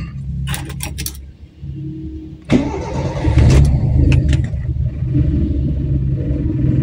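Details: Toyota Corolla with 2E engine, hot restart after a short shopping stop with temperature gauge raised: keys rattle, starter cranks long before catching into a rough idle; long cranking, suspected faulty solenoid valve.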